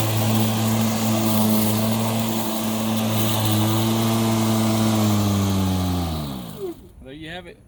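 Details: Milwaukee battery lawn mower that shuts off seconds after starting, held running by pressing the bail/clip (suspected clip fault); steady even motor hum for about six seconds, then winds down and stops when released; normal running.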